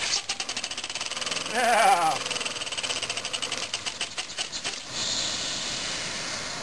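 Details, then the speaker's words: Homemade scrap-built compressed-air engine on about 5–10 psi from a small compressor: quick regular air puffs whose pace and strength waver then fade; hand-set valve timing without set screw vibrates out of time. "once you put it back into time it'll really take off but then it vibrates enough that it throws it back out of time"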